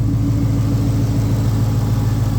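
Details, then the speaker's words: 2003 SVT Cobra supercharged V8 after tapping/knocking noise repaired, first start outside with possibly some air in the cooling system: deep, steady, even idle rumble, no knocking or ticking, good oil pressure. "Super smooth, good oil pressure. Happy about that."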